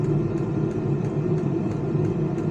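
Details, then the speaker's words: Vevor XMZ D2 2 kW diesel heater after earlier backfiring: a better startup with less backfire, now running with a steady, even combustion roar and a light fuel-pump tick about three times a second, no popping. Setpoint 28, shed at 15 °C. "it had a much better startup this time it didn't backfire near as much so I want go ahead and let this run"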